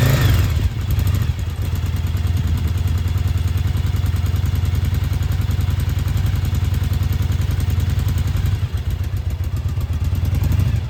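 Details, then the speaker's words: Restored Yamaha Virago 1000 V-twin idling on its first start in about a year, after a new starter, fresh gas and new intake and exhaust gaskets: deep, even thump at steady idle, low and smooth with no knocks or rattles. Running healthy. "So there you have it. It's running. I'm really, really, really happy it's been about a year since it was running and to hear it start up again and to be running so well feels pretty good."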